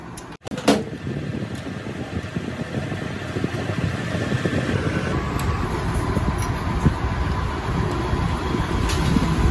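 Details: TVS XL Super (XL100) two-stroke with a starting problem: during reed-valve checks it fires right up into a steady, even buzz that builds slightly, running normally; the mechanic suspects the reed valve has failed and then finds it folded double.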